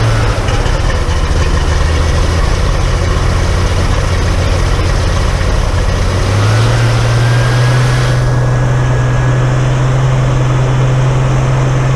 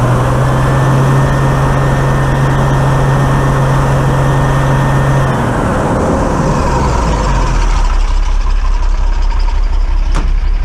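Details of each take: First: Dennis Dart SLF bus Project 114 diesel, first start after removing part of the fuel system, no leaks: steady, even low idle rising to faster smooth beat, no stumbling or hunting; fuel delivery healthy. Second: Dennis Dart SLS bus Project 114, diesel, warmed up idling 10–15 minutes after removing part of fuel system: full-throttle pull with uneven stumbling beat, then lumpy idle; misfire remains but much improved, owner suspects a rear injector.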